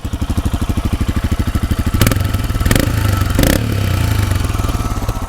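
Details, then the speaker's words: Royal Enfield Himalayan single at 35,000 km, engine and exhaust sides: even thumping idle, clean throttle blips settle smoothly, no ticking or clatter; normal, like a new engine. "as clean and as nice as that like a brand new engine and butter smooth"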